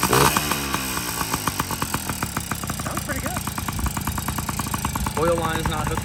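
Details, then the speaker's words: Yamaha PW50 two-stroke with brand-new top end, running premix with oil line disconnected, after reeds were checked and a rock removed; small two-stroke ticks over at an even idle with a few throttle blips, no misfires, runs healthy. "This is a brand new top end. I should probably let it break in first. Idles."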